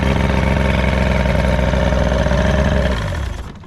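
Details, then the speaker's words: Restored 13 ft Delta T850 race boat's outboard at idle: deep, even burble with no knocks, misses or hesitations before dying away; motor idling nicely, normal idle. "Motor seems to be running great though. There's no It sounded good. hesitations in it. Sounds good. It's idling nice."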